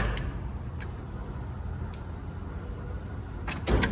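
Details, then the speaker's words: At key-on in a supercharged LS3-swapped Squarebody being wired to a Holley Terminator, with power to the compressors shut off: a few sharp isolated clicks from the air compressor solenoid, no compressor running; normal solenoid clicking. "The big click is the air compressor solenoid. I have the power from it shut off so the compressors don't run but the selenoid's still clicking."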